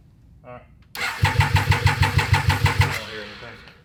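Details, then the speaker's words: Abandoned Triumph 955cc triple go-kart cranking at about three pulses a second with no firing; none of the three injectors heard clicking, suspected stuck injector or electrical fault, checking power with test light. Crank no start. "you don't hear any of the three injectors I don't hear any of the injectors work"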